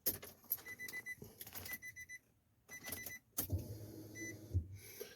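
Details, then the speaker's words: Infiniti G35 coupe, key-on after installing new Deatschwerks DW300 fuel pump: short low electric hum about one second then stops, clicks around it; normal priming to purge air, repeat as needed before starting. "what you'll do is just turn the key on and you can hear the pump Prime don't know if you can pick I don't know if you can hear it now"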